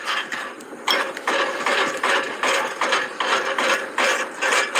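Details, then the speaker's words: Front wheel rocked by hand: dry ratcheting clicks, about two and a half a second, with severe play that hadn't shown a month earlier: a worn front wheel bearing. "I've shaken down the tires a month ago and nothing ever showed its play but listen to [Laughter] this um this wheel is moving like really bad"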